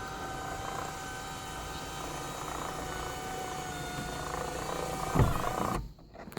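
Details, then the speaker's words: Lexus IS300 sunroof motor after the fix (motor removed, copper contacts cleaned, reinstalled) hums steadily and evenly for several seconds, then stops with a soft clunk. The previously stuck, clicking sunroof now works normally. "what a lovely day to have your sunroof to be working"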